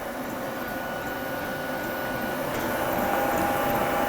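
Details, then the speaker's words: Qidi X Max 3 3D printer after rebuild, printing PETG as speed goes up a notch from about 130 to 150 mm/s; earlier skipping traced to the z-axis set too low: smooth even hum whose motor pitch shifts mid-run, no clicks or skips; normal. "yeah let's go up one more Notch you can hear the pH and it changed now it's at 150 where it was at 130"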